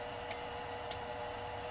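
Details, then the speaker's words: Mazda T4000 truck battery being jump-started with a LiPo charger fed from a 12 Ah Milwaukee battery drawing about 9 A: two crisp clicks about half a second apart over faint hiss; charger relay clicks as battery voltage dips. "this little jumpstart pack there he's sucking every time you hear click you hear you say the voltage deepened dog"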